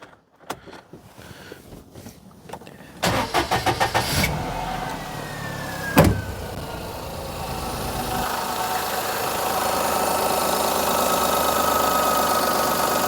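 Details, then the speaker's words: Perodua Kenari after belt tension adjustment: a few clicks, quick crank and catch, then smooth even idle with no belt squeal under electrical load; idle control sometimes slightly variable but sounds fine. Normal start and idle. "idle control is sometimes a little variable on Desmond it's not bad though that sounds all right I think we're good"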